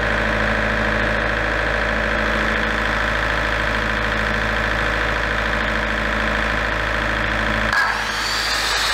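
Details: Large diesel generator set from auction, after repair of its shutdown fault: a steady, even diesel drone at constant speed that settles smoothly as the load changes near the end. Normal running.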